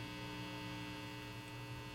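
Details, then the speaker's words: Kit-built Kendrick JoyZee tube guitar amp, first power-up on variac, volumes down: steady low hum with buzzy overtones, worst on clean channel; suspected filament hum from poor filament wiring, not confirmed. "It's really bad on the clean channel. So that to me sounds like filament hum."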